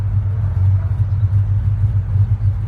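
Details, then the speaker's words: 1937 Ford Coupe restomod on cold start (intake about 54–55°F) on choke: deep, lumpy but steady hot-rod rumble, idling on its own without throttle help and without stumbling; a healthy engine warming up. "she is and now you can hear a little bit of that beautiful hot rod rumble"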